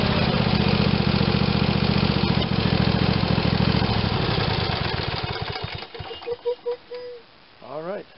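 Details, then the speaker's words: Craftsman tractor, Briggs & Stratton 22 hp OHV twin, test run after full carburetor rebuild for running poorly and only on choke: runs even and steady with a firm low beat, then shut down; sounds healthy. "Sounds good. As you can see, we've come a long ways from where we started."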